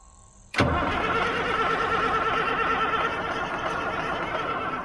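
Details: Army 6x6 diesel truck after work on the injector pump, fuel reaching the return line, gas pedal pressed: starter grinds at an even, slightly labored pace for several seconds, battery dragging, never fires; crank no start, injector lines to be cracked next.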